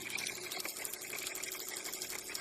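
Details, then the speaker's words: Backwashing carbon taste-and-odor filter, discontinued control board replaced with relays, cam still turning with red backwash light on: steady hiss of rushing water with a faint mechanical whir; normal backwash cycle. "And we have our red light that tells us we're in a backwash cycle."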